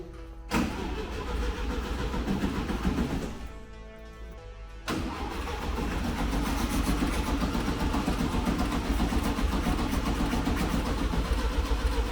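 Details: 1970 VW Beetle (Fusca), 1300 engine, parked 20 years, hot-wired direct start: starter cranks steadily about four turns a second with a few uneven catches but never fires; crank no start.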